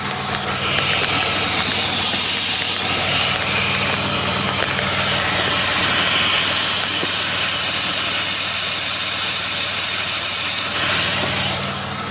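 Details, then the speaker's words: 2006-2010 Chevy Impala, phone held at the brake booster behind the master cylinder while idling: steady airy vacuum hiss, suspected split booster seal causing hard or squishy brake pedal; some exhaust leak also present. "I don't know if you can hear that but there's a pretty distinct sound of uh vacuum there"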